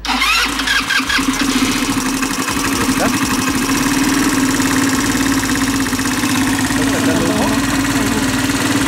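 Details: Italika WS motorcycle that won't start after an adjustment: loud continuous starter churning with a steady mid-pitched drone, never catches; weak spark, new ignition coil fitted, incorrect wiring and misplaced ground suspected, fuel and compression next.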